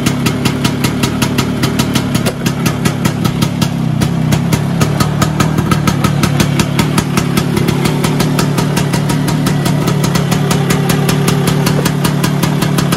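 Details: Vespa PX 125 with 177 kit, restored engine (new bearings, seals, piston, rings, lapped cylinder), 2.5% premix, first start after a year: even quick two-stroke putter with steady low drone, no knocks or rattles; normal idle.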